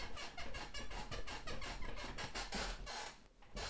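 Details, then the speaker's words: Gaming/office chair, after just over a year of use, gives repeated creaky squeaks about three a second that rise and fall as it is rocked, with the frame squeaking under load before the fix. "also ich hoffe man hört also er quietscht schon extrem das werden wir hier auf alle Fälle beseitigen"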